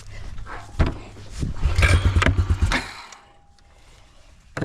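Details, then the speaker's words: Honda 4x4 Rancher revived after sitting six years in North Dakota snow, in freezing cold, first tries after carburetor work and before it has idled: the engine coughs and stutters in uneven bursts on throttle, never picks up, and dies back. "doesn't not like throttle ouch"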